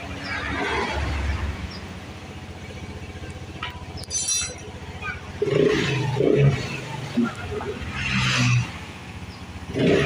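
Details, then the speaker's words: Vespa LX 150 ie (injection) scooter after the CVT was repaired without new parts: revs rise and fall smoothly with an even note and no clatter; the severe CVT knocking heard before teardown is gone. "ya sudah tidak terdengar lagi ya keletek-keletek parah seperti awal sebelum kita bongkar ya teman-teman"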